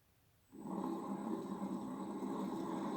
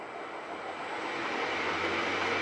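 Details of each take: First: 1HP three-phase motor for Bridgeport mill, apparently wired for low voltage, first run on VFD at low variable speed in forward, before bearing replacement: steady hum with rough gritty rushing layer; appears to work electrically but bearings worn. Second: Bridgeport mill's replacement 1HP three-phase motor after clean-up and bearing replacement, run from VFD panel: smooth even hum with faint low tone rising as it spins up, no knocks or grinding; motor quiet, running normally.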